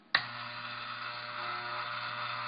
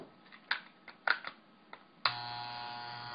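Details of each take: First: Hair trimmer (T-Outliner) switched on with its adjustment screw loosened about a quarter turn: steady hum with a harsh, louder, metallic buzzing rattle as the loose screw bounces against a piece; the fix is tightening it. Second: Andis T-Outliner trimmer after tightening a loose vibrating screw: a few clicks, then a steady even buzz with no rattle; the normal sound, with enough vibration for the nylon ball to move freely.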